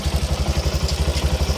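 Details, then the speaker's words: Italika 200 cc motorcycle (Zongshen RX1) on stand, after replacing the chain and the sprocket that had play, and adjusting: steady low idle with even pulse, no slap or rattle, no more strange noise; normal chain drive running. "muerte ya no hace ningún ruido extraño carnal y tos de paso pues se le cambió la cadena se le dio pues su ajuste y el piñón lógicamente se le cambio también"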